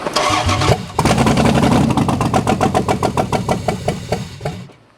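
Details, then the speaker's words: 4WD Daytona whose engine sat outside a year under a poor cover, now on a temporary wiring setup. Short crank, then it catches and fires in quick regular pulses before shutting down; it sounds better the more it runs. "okay one more all right that's starting to sound a little bit better the more you run it"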